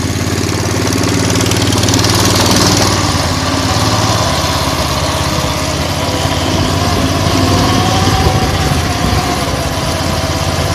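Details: 170F single-cylinder engine after replacing the crankshaft and connecting rod: a loud, steady chug at about three beats a second, and the previous knock is gone; the engine runs cleanly.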